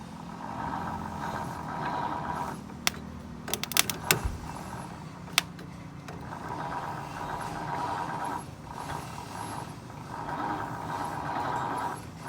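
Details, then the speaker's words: 1950 Ford F1 with 8BA flathead V8 cranks in long bursts with pauses but never fires; owner suspects the coil gets no power and fears the starter was damaged. "Okay, now why isn't it not like trying to start? Maybe you should get some gas. So maybe it's, oh, that's true. Well, it's probably not going to do anything without gas in it."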